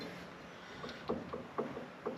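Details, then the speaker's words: Ford F-series Super Duty Dana axle with a gear change from 5.13 to 4.10: faint small metallic clicks as the pinion is rocked by hand, and backlash is guessed to be a little tight against the five-to-eight spec. "you gotta have a little bit of lash in between the gears hear that clicking sound I'm guessing it just I think the new one said five to eight might be a little bit tight"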